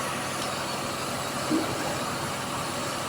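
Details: Toyota Corolla that cranked but would not start, fixed after a computer box/electrical repair, battery and check-engine lights still on: steady, even idle hum, no knocks, misses or hunting; normal idle.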